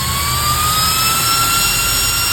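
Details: High-speed 12 V 3.30 A DC brushless ball-bearing fan: strong steady rush of air, clean tone climbing gradually as it soft-starts to top RPM; runs smooth and healthy.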